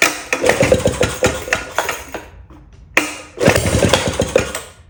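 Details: 1937 Maytag Model 92 single-cylinder two-stroke, bolted to 2x4s, just started after gas tank and mixer cleaning: quick sharp pops in short bursts, a pause, then another run of even firing; running healthy.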